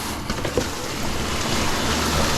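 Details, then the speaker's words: Noritz N-0751M-DV instant hot water heater during the Error 66 bypass valve (water servo) repair; a sudden hiss of water spraying builds and continues as something internal gives way. The burst part is suspected, not confirmed. Pressurised water leak. "something just gave up the ghost [ __ ] [ __ ] [ __ ] it's fine it's fine i was like what was that noise so what gave up was internal"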